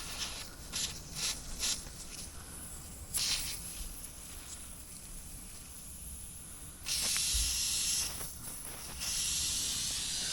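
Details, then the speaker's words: AC line set to outdoor unit 1, insulation worn away: sharp airy hiss swelling in bursts, loudest at the bottom of the line; refrigerant leaking there, to be sanded, marked and repaired. "I found it. Way down here, this line set runs here all the way to this unit. Literally see it blowing."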